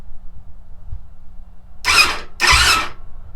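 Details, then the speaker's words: YFZ450/WR dirt bike hybrid with a custom-joined wiring harness, key on, in neutral, before starting fluid is sprayed: two short bursts of starter whir as the engine turns over without firing; starter circuit working. "it turns over so i'm going to spray some starting fluid in there and make sure that we can get a spark"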